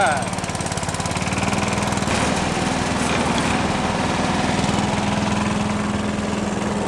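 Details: John Deere 755 tractor on a cold mid-November day, running the hydraulic MCS leaf vac on first use after fixes: even, steady chug with constant pitch, no misses or knocks; running normally.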